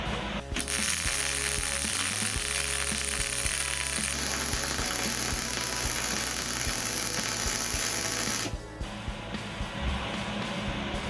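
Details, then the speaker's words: Simple MIG welder at correct voltage and wire speed, practice bead on unclamped metal: steady even crackle like frying bacon with a few light pops; normal weld. "That's not bad. Sounds a little uh little little bit of pop going on there."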